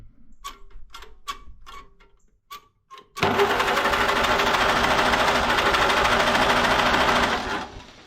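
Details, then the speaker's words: 1949 Farmall C tractor sat for years, with new distributor cap and rotor, starting fluid sprayed in: a few light taps then about four seconds of fast, steady cranking that never fires; valves were stuck, freed with penetrating oil. "So, I put a new cap and rotor on. And uh I had to take the valve cover off. I'm just going to show you here because these valves are stuck."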